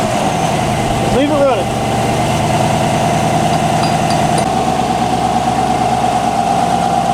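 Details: 2019-2026 Chevy Silverado just after installing a North American Performance cold air intake: steady smooth idle, even low rumble and constant intake hum, one brief blip early; healthy normal idle.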